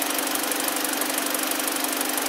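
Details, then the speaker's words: 2012 BMW 318i, about 52,000 km, idling after misfire repair: coolant 48°C, oil 42°C, intake air 33°C, battery 14.8 V; steady even idle with light regular ticking, no stumbles or misses; engine now perfect. "nossa BMW 318i tá tudo pronto tá tudo perfeito motor já não faria mais já não tem mais tá tudo bem"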